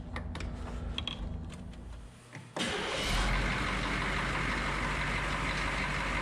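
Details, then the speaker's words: HMMWV M998A1 6.2 diesel after restoration and fixing exhaust leaks: cranks briefly, catches, settles to a steady even diesel clatter with no puffing or ticking at the manifold; sounds much better than with the leaks, normal idle. "it sounds much better than it did without all the exhaust leaks"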